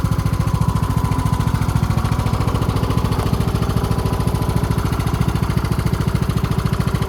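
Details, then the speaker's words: Husqvarna YTH20K46 mower with replacement 20 hp Kohler Courage SV600, air filter off: deep, even thump with rock-steady rhythm, no misses or knocks; engine running well, carburetor good. "Glad we finally got this thing running again. I'm going to do some more videos on this thing while I fix it up. And uh not sure yet if I'm going to keep it or sell it, but uh you can hear she's running pretty good."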